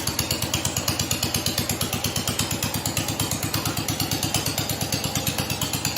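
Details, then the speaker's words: 1969 John Deere 112 blue patio tractor with a new ignition system, no muffler, not yet throttled up: slow, loping single-cylinder idle chuffing about three per second, lumpy and soft; owner thinks it is running rich. "it starts sounds like it's running rich I haven't throttled it up yet"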